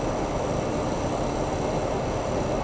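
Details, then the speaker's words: Workshop dust collector at a lathe, after modification meant to quiet it: steady low rumble with rushing hiss and faint high whistle, sounding like a toilet rather than white noise; cause unclear. "funny because i was trying to make it more quiet and it made it sound like a toilet"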